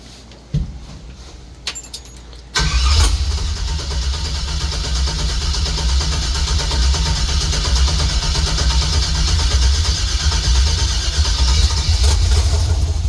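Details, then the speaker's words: 1964 GMC truck V8 after rewiring: brief cranking, then it catches and runs unevenly, surging and stumbling as the idle air control goes to 100% and air-fuel ratio reaches about 20–21 lean before it dies. "the iak goes to 100% and then uh the air fuel ratio goes lean and it conks out or uh rich and conks out"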